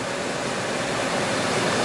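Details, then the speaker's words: Chrysler van blower motor, original motor kept after no-blower diagnosis, running on full speed drawing about 20 amps (about 5 A on lowest): steady strong air rush, smooth even motor note, no ticking or squeal; blower healthy. "we got a blower just going to measure the amperage on this guy just curious zero amps get the jaws of this thing around there all right I'm going to turn it on full blast"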